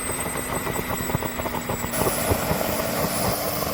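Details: New Wren turbine in a Longranger spitting at idle, fine once throttle is added, after replacing the restrictor: whine broken by irregular pops and spits about three per second, suggesting uneven combustion.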